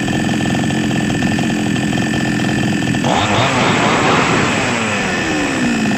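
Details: Small Chinese two-stroke engine, previously hard to start, after a simple fault was fixed: steady buzz, then clean rev-up around three seconds, holding even without stumbling; running normally again.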